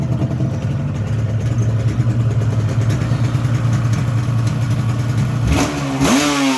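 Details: 1985 RZ350 two-stroke on a dry test after small repairs, with a damaged fuse box, wiring issues and heat in the stator wiring: a steady even idle, then a clean blip that rises and falls smoothly. Normal running and revving.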